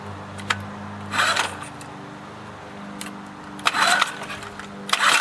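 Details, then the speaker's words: Honda outboard motor after cleaning the carburetor idle jet passage with a fine wire: low, even idle hum holding steady under a few clattery handling bursts; settles into a smooth, stable idle. "start it up and show you that the engine idles properly"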